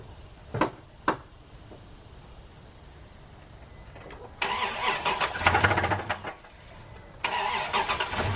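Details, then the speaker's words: 2000 Isuzu Rodeo 3.2 V6 cranks and runs roughly with a hard, rapid knocking underneath; bad connecting rod and crankshaft, engine to be pulled and rebuilt with a new crank. "Today, we're gonna remove the engine out of this Isuzu Rodeo because it's knocking. To those of you who don't know what knocking is, listen to this engine."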